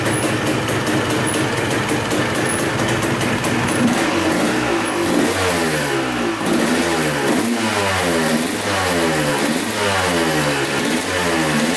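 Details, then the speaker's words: 1986 Honda CR250 two-stroke that sat over five years, fresh gas: crisp idle picking up into quick, clean throttle blips, each rev rising and falling smoothly; started right up, no leaks, running healthy. "all right well that sounds really good um putting fresh gas in it started right up no leaks whatsoever"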